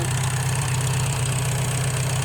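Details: Farmall H tractor engine bought at auction, after manifold replacement and valve adjustment (previously ran rough with poor compression): steady, even low thump at idle, no knocks, misses or rattles; running smooth and healthy.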